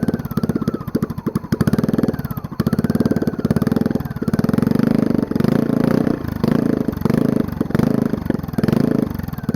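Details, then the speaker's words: Long-stored generator's small engine run with the muffler removed, only a rusty header pipe and the flywheel exposed: loud, raw exhaust pulses that keep sagging and catching as it barely holds idle; rough, unstable idle. "really doesn't like to idle much does it"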